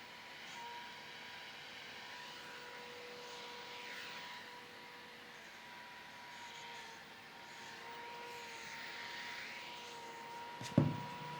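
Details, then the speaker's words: Zhiyun Fiveray M40 portable LED light at 100% power (40W), cooling fan after ramping up to its loudest speed: steady whine with soft airy hiss; normal full-speed fan, very loud. "This is the noise test for the Zhiyun M40 portable LED light. It's very powerful and very loud."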